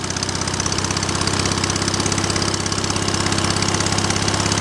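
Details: Small single-cylinder engine running after a cold-weather start (fuel pump primed, choke used), fast, even putter at a steady speed with no misses or surging; runs healthy.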